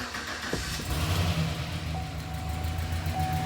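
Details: LS engine in truck after rebuild, first start after fixing a cracked exhaust flange (broken stud replaced with bolt, silicone); catches after brief crank, settles to steady deep idle with no puffing or ticking: exhaust leak sealed, normal start and idle.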